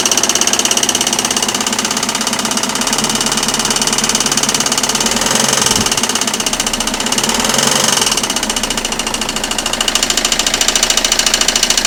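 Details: Citroën Xsara 2.0 HDi 90 hp: sharp, rapid ticking clatter of about three to four a second from the timing side, varying with engine speed; the crankshaft damper pulley had failed.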